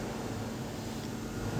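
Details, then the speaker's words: BCH DOL starter contactor on a three-phase supply, energized after its noise was cured by cleaning carbon off the contactor plates: nearly silent, with only faint room hum and no buzz or chatter. "यह देखो दोस्तों, आवाज बंद हो गई।"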